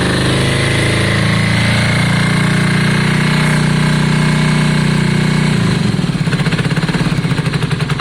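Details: Yamaha Virago V-twin, just started after exhaust swap and carb clean: uneven, loping idle turning choppy and shaky; front cylinder stone cold, suspected not firing, a one-cylinder misfire.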